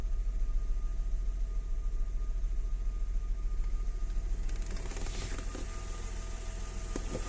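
Low steady idle with a regular knock about three times a second riding on it; a knock at idle, cause not pinned down.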